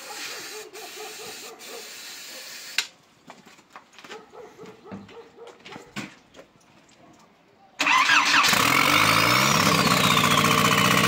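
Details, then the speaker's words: Škoda 1.4 MPI turbo, first start attempts: steady starter cranking, a hiss, more cranking, never catches on petrol; owner suspects too little or too much fuel, or a sensor in the wrong place. "Pravdepodobne máme nejaký problém s palivom a buď ho je málo, alebo ho je veľa, alebo máme snímač na zlom mieste."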